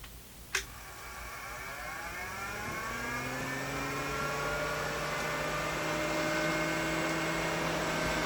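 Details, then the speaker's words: 12 V eBay fan meant for a motorhome bedroom A/C cover, run on its first setting: a click, then a rising whine settling into a loud steady hum. Far too noisy, though it blows plenty of air. "So as you can hear, it's freaking noisy as hell, and I'm just not quite sure that I want that directly above my head when I'm trying to sleep."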